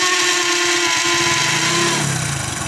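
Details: Hero HF Deluxe self-start motor making a bad 'kachar kachar' noise before repair: harsh whirring crunch while cranking, pitch shifting as the engine turns over, a worn starter grinding.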